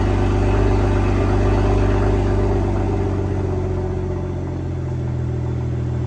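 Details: 2022 BMW M240i B58 six-cylinder, just after an MST downpipe install with both O2 sensors reconnected. Deep, even idle rumble with no knocks, ticks or misses. No check engine light; normal idle.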